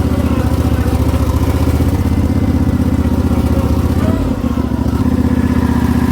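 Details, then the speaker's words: Homemade wheel loader after floor-it run, engine settles to a fast, busy high idle that holds high with a brief dip and runs rough; choke must be pulled or it stalls, carburetor suspected goofy, cause unconfirmed. "Now it goes like a high idle. I got to pull the choke out, otherwise it'll stall on me. Carburetor's a little goofy."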